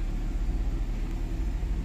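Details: Toyota 4A-FE, customer complaint of high idle: fast, steady idle hum with an even pulse and no dip; idle too high from a dirty throttle body and seized idle air control valve.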